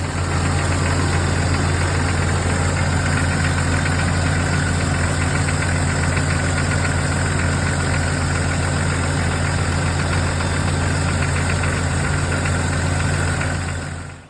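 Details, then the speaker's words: 1999 Jeep XJ 4.0 inline-six, cold idle on fresh oil, before adding an engine restore additive: faint rhythmic ticking knock over the engine hum that tends to fade when warm. Owner suspects sticky lifters, piston slap or rod/main bearings. Engine ticking/knocking at cold idle. "right folks well I don't know if you heard that ticking knocking I sure did um could be sticky lifters could be piston slap could be rod and main bearings who knows"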